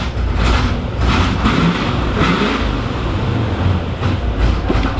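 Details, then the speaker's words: 1986 Chevrolet Camaro Iroc-Z V8 after exhaust system repair: deep rumble swelling with each throttle blip, no ticking or puffing from the pipes; leak fixed, maybe a tiny leak remains. "there you go sounds like that took care of it so i don't hear anything over here anymore"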